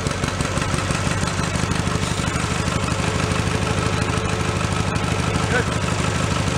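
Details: Mid-1980s Snapper riding mower pulled from a dump, started on choke in neutral: small single-cylinder settles into a steady, even putter with no stumbling or knocks; healthy idle.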